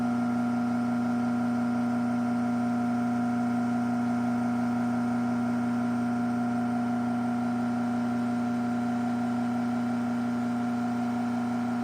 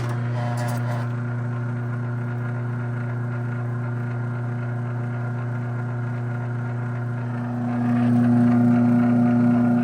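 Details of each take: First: AccessMaster M100 garage door opener from June 2000 running: steady motor hum with a faint rhythmic pulsing, three to four a second. The top bushing is worn enough that greasing didn't help. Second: Original year-2000 AccessMaster M100 garage door opener, mildly restored, running in its foam packaging with a hand held on the foam. Steady motor drone and even chain rattle, smooth with no strain. Normal run.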